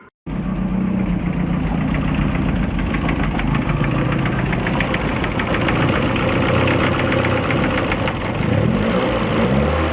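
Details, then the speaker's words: Lotus Excel, petrol engine idling just after exhaust system rebuild and bolting up: sharp puffing ticks over the rumble, most exhaust joints blowing; owner plans exhaust paste to seal them. "yeah unfortunately most of the exhaust bits are blowing I'm gonna have to use some exhaust paste I think to uh get that under control"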